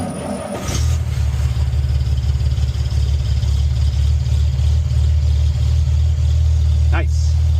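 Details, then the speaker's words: 1946 Chevrolet pickup straight-six idling on a cold 35-degree morning, after the coolant hose was moved off the fan; coolant leak still unrepaired, slight blow-by noted. Steady deep low rumble, even, no fan rubbing; normal idle. "Nice. Well, that'll do. That'll do. All right. I'll run it until she gets hot."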